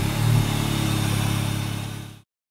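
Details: 2004 Mini Cooper S R53 idling then revving; steady low drone with a loud airy roar under the intercooler, louder on revs; a line found falling off the fuel regulator is the suspected cause, quick fix.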